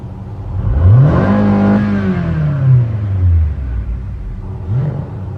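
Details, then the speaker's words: 2014 Nissan Altima with JF011E CVT that dies when shifted into drive or reverse, no trouble codes: engine revs smoothly and strongly with no stumble or misfire; engine normal, torque converter blamed. "Hindi mo pwedeng sabihin na spark plug palyado or coil dahil hindi siya namamalya guys. Ayan at ang lakas ng revolution niya."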